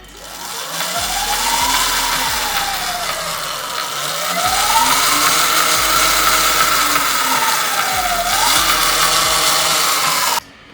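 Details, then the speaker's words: 2025 Surron LBX electric bike being revved: motor whine rising and falling with a light repeating tick. A rusted, frozen chain with stiff links ticks over the front sprocket; the chain was replaced. "So, when it goes over the front sprocket, it makes a tick noise because it's not moving."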